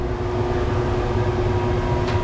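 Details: Replacement Dometic marine air conditioner on a Cruisers Cantius 50 yacht, installed after the old unit kept tripping the breaker: steady even hum with smooth fan rush, no knocks or rattles, blowing cold air; running normally.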